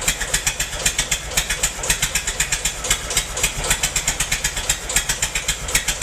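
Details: Massey-Harris 44 tractor stored 10 years in a semi trailer, with burned points replaced: lumpy, uneven chuffing about four beats a second with sharp ticks as cylinders 2 and 3 misfire; owner suspects stuck valves, plugs or wires; a stuck intake valve was found.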